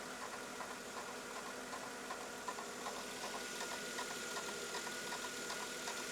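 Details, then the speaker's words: 2000 Mercedes E320 at start-up after idler pulley replacement: quiet idle with a faint, fairly even tick about two or three per second, an initial belt-drive noise fading away as it settles; normal idle. "There's an initial noise. The noise seems to be going away."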